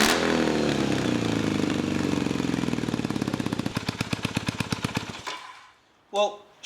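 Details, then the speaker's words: 1983 Kawasaki KZ440 cafe racer with newly welded hot dog mufflers on the headers; loud uneven exhaust pops that slow and stumble as the twin winds down to a stop; runs rough, cause unclear. "alrighty although this bike is running as rough as guts I'm still Keen to see how these new Mufflers sound on the headers"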